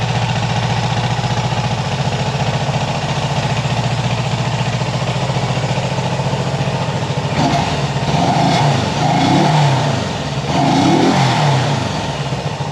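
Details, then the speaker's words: Honda CB360 twin, warm, idling with an uneven, stumbling beat as the left cylinder cuts out; it runs fine cold. The owner suspects points, condenser or, most likely, the coil; unconfirmed. "it runs pretty well when it's cold which is cold but uh once it warms up it starts breaking down and you can hear one cylinder it's actually this left cylinder uh you know it starts to cut out"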